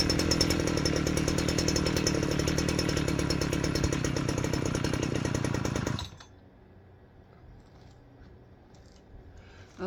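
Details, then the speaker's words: Old Jonsered 630 two-stroke chainsaw first run after repair: revs hard and buzzy with slightly uneven beat, then cuts out; still needs carburetor tuning. "as you can see runs I gotta do a little bit of tuning on it"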